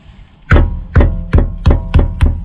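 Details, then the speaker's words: 2019 VW Tiguan 1.4 petrol, AWD, DSG, one year owned: six sharp hollow knocks about three per second, rear disc brake pads rattling in caliper, worse over bumps; owner heard that anti-rattle shims may fix it. "Вот здесь колодки не стучат, а здесь колодки стучат. И на кочках этот стук очень сильно проявляется."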